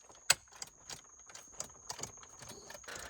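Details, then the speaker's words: Flooded Cadillac CTS power seat, pulled working from a junkyard: light sharp clicks about three a second with no motor whir following; seat tries to move but doesn't, cause not yet found. "That's weird. This was a working seat when I pulled it from the junkyard. I can hear it trying, it's clicking."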